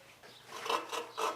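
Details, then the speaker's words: VW Beetle air-cooled cylinder head, lapping a quite pitted valve with coarse paste before switching to fine: short gritty rasping strokes about twice a second, audibly coarse as the valve face grinds the seat clean. "Oh yeah, you can hear the difference with that, can't you? So you can hear the coarseness of that."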